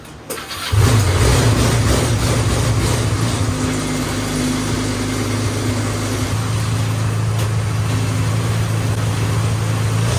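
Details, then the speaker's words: Restored go-kart small engine on its first start after rewiring the clutch, start and kill switches: catches after a few cranks, then runs roughly with an uneven lumpy beat. Owner suspects it runs rich after a loud pop and plans to open the carburetor. "Alright, so it started up, but it's not running too well."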